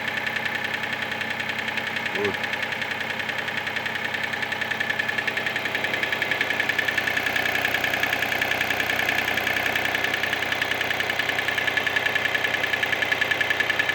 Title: Mitsubishi Space Star klappert Kolbenkipper